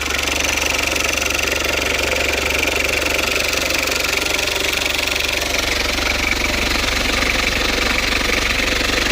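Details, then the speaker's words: Citroen Berlingo after a new down pipe and exhaust were fitted, leak check done; even, steady idle with a smooth quick beat and no puffing or ticking, solid fitted exhaust, sounds good. "That's a solid fitted exhaust. Let's get a rev. It sounds good. What we like."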